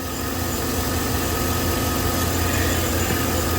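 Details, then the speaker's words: 2012 Chevrolet Silverado 5.3L with codes P0300/P0301 (cylinder 1 misfire): at idle a cylinder drops out with an uneven stumble. The misfire moved with the plug, confirming oil-fouled spark plugs from an engine burning oil. "oh yes it did there it is there it is yeah we got fouled spark plugs she's burning some oil man"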